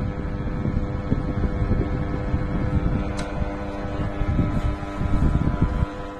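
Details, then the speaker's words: Gree wall-mounted AC indoor unit over 10 years old, loud humming noise starting about 5 minutes after switch-on: steady low hum with uneven rumbling drone; technician judges not bearing wear but a deformed motor damping bracket making the fan motor contact the casing. "听这个声音呢，应该不像是电机自身轴承这个老化的声音，应该是这个电机的减震支架变形，这个电机碰到这个外壳产生的噪音。"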